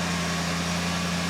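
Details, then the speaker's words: 1974 Lincoln Mark IV V8, revived after 36 years parked, just started cold with choke on and charging: raised, even fast idle, steady low drone with no misses or knocks. Normal fast idle on choke. "Uh idle's on right now because choke's on. Running great."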